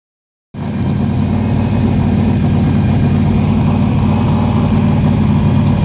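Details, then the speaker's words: Fresh-built drag truck on first start after a starter engagement fix. Loud, steady, lopey idle at about 2100 rpm with good oil pressure and voltage, coolant warming; no knocks; shut off when water temperature ran hot. "all right we got our sitting right at 2100 rpm we got great oil pressure great voltage our water temp is starting to come up"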